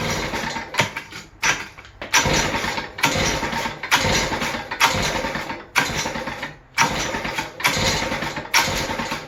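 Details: West Bend 580 two-stroke engine, recently fitted with a new starter cup, dogs and recoil spring, restarted after sitting for months: revs flare in rough bursts about once a second and never settle; won't idle, owner suspects dirty reed valves.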